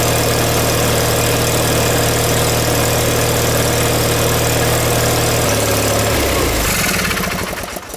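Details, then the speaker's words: John Deere 318 engine just reinstalled with reworked intake manifold (previously surging), new plugs, wires and oil, shrouds off, on choke: fires up and settles into fast steady idle, a bit too high, then shuts down. "This has to be able to go down more for the idle, I believe."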